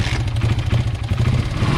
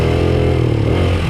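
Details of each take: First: 1995 Honda XR80R 80cc single after replacing an undersized main jet with the correct Honda jet: blips unevenly then settles steady with no stumble; bog fixed, normal running. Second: 1995 Honda XR80R 80cc kids dirt bike with an undersized main jet: idle fine, but from about half throttle up on a 100-yard run the engine note stays flat and sags, dying as if out of gas; bog from the small main jet.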